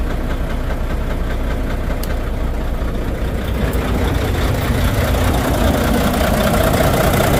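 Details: Volvo VNL D13 diesel at idle with low power, misfires and unstable running: hard, steady knock about two and a half per second that stops when one injector is cut; suspected broken fuel injector.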